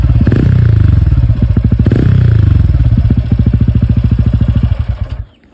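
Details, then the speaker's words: TVS Ronin 225 after its 3rd service: an even, crisp single-cylinder exhaust thump at idle with no tapping or rattle, then a clean shut-off. The beat is back to normal, as when new. "பீட்டும் வந்து அதிகமாயிடுச்சு. Normal ஆயிடுச்சு பீட்ட வண்டி வாங்குனப்ப எப்படி இருந்துச்சோ அந்த மாதிரி வந்துருச்சு பீட்ட."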